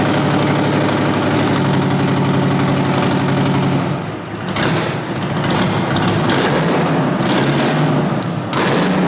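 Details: 1963 Peterbilt with an 8V71 Detroit two-stroke diesel, first start in a long while with no radiator fitted: a deep, even drone with a few throttle blips, firing steady with no knocks or misses. It runs healthy.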